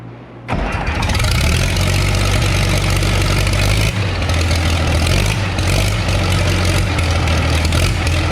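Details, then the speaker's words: Case 930 diesel tractor, freshly started after exhaust manifold patch repair: cranks, catches quickly and settles into steady idle with sharp puffing tick each cycle; exhaust blowing past manifold gasket at number four top side, needs new gasket. "i've got an exhaust leak and i'm gonna have to put a new gasket on it and but what it's doing is blowing right out of number four here on the top side"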